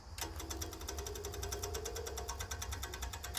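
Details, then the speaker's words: 1970s Layton roller compactor with a Ford Taunus V4: the electric fuel pump gives a fast, faint, even ticking of about ten clicks a second over a low hum. The pump is weak from a bad ground, though the battery may also be dead. "sounds like it's working oh it doesn't sound good though does it but then again this battery might be dead"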